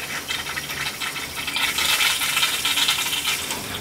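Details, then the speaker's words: Gas boiler hot water heating loop being purged through the supply after a leak and bad expansion tank; steady rushing water with irregular spitting, sputtering bursts as trapped air blows out. "so I'm going up through the supply through the house back and purging off the Saul's"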